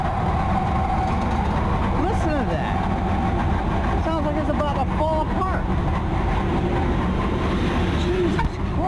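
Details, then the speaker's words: AAON rooftop HVAC unit that is not working: loud, rough, steady roar with a wavering squeal on top from the blower motor; failing blower motor, unit later shuts down. "so this one why is it making that much damn noise oh my god"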